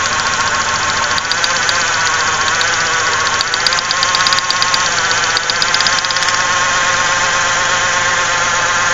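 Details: 1995 Ford Ranger Splash 3.0L V6 at idle: uneven, shaky idle with a busy ticking pulse, heavy vibration and strong gas smell; cylinder misfire suspected, spark plug wires being checked.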